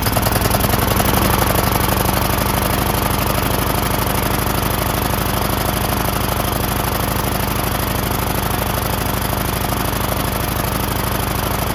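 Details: Rebuilt Briggs 19.5HP engine in a John Deere LA110 lawn tractor, new carburetor fitted, idle screw adjusted: steady even chug, no misses or surging; runs normally after rebuild.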